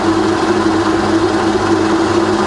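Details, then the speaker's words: Rebuilt Bridgeport belt-drive milling machine after full service, quill power feed running and reversed: steady, even drone with a constant low hum and no knocking or grinding; the quill feed knocks out and traverses fine. "okay so that knocks out just fine so we reverse the feed when you see a traverse is just fine as well"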